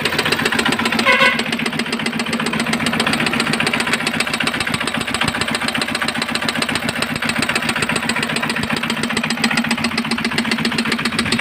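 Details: Engine jammed and hard to start: steady idle with sharp regular knock about 220 a minute; broken air cleaner filter piece got pushed into cylinder, trapped between piston and head.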